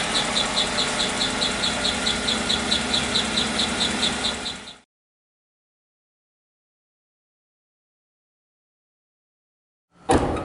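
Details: 2016 Chevy Suburban, noise between engine and transmission, engine found low on oil even after an oil change; steady rhythmic tapping about two beats a second over the running engine; possible internal wear from oil starvation.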